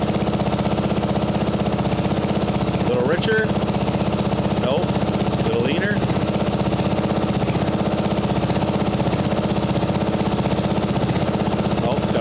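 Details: Mastercraft 12.5hp flathead 38-inch riding mower after carb repair, mixture being adjusted: steady single-cylinder thump about two and a half beats a second, even and unbroken; running healthy.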